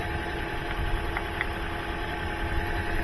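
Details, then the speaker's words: After a tune-up and fixing a poor battery connection, the petrol engine idles with a steady, even low rumble, no knocks, misses or surges; running properly, normal idle. "Everything else is good, running properly."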